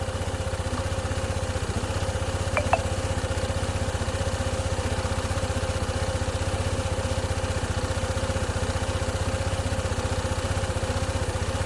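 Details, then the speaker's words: Honda ADV 160 scooter just after starting, before ECU reprogramming and idle initialization: fast single-cylinder putter about four beats a second with a slight hunt, rpm reading 1854; idle too high and unstable. "Ayan nagbabago bago pa yung menor. Ayan. Aayusin natin."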